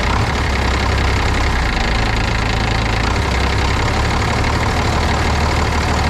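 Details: 1995 International 4700 dump truck, DT466 diesel, after priming the fuel system following fuel starvation from a tank leak repair: steady idle with even low clatter and no misses; primed and running normally.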